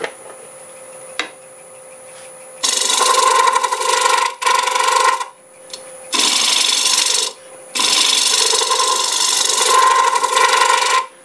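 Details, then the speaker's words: Tool chatter: harsh rasping and a steady ~1 kHz squeal as a freshly sharpened negative rake scraper cuts the thin, unsupported curved wall of a Jarran and basswood bowl from a board on the lathe. "could probably hear the squealing that was going on cutting this just the vibrations there's not a lot of support there and it's getting thin"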